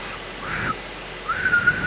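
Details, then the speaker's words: 2018 Mercedes S63 AMG, 95,000 km, idling: thin high vacuum-cleaner-like whistle that stops when the oil filler cap is opened, a vacuum leak through a failed crankcase oil (blow-by) separator. "엔진 오일 캡을 열었을 때 휘파람 소리가 없어지면 이제 세퍼레이터의 문제라고 보시면 돼요."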